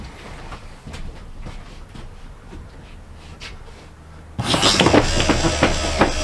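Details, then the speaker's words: BAL Accu-slide RV slide room run in after adjusting cable tension: motor drives the room with a loud grinding rumble and repeated jolts, about three a second; the bottom is sticky and dragging, and silicone spray is planned on the bottom. "This is one of them slide rooms that's sticky on the bottom. Says jump, jump, jump, jump, jump, jump."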